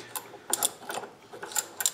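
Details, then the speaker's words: Sturmey Archer 3-speed hub during reassembly after restoration: crisp light ticks in short bursts as the hub is turned by hand, pawls catching and locking in reverse; normal ratchet clicking. "can hear it clicking and when you go back it locks so there you go"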